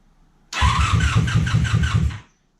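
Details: 1987 Honda Super Magna after about 10 years sitting, with spark just restored and fuel and PB Blaster in the cylinders: fast, even starter churning for about two seconds without catching. Hard starting after sitting; cause suspected, not confirmed.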